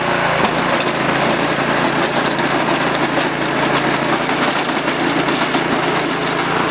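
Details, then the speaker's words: Predator 212 single-cylinder engine on a rototiller, after replacing a carburetor corroded by ethanol gas from sitting a couple of years, started on choke: steady, even putter at constant speed with no surging or stumbling; running clean after the repair. "all right well that turned out pretty good"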